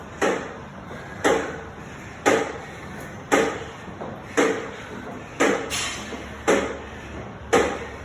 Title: NordicTrack SE7i clicking noise